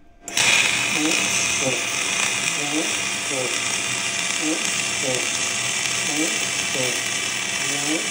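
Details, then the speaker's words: VEVOR 250A MIG welder on aluminum, voltage lowered slightly after a too-flat bead: even, steady frying-bacon sizzle with no pops or stutters, voltage set right for a good weld. "Ang ganda ng tunog, di ba? Parang nagpiprito lang kayo ng bacon. Pag ganyan tunog, talagang maganda yung outcome niyan."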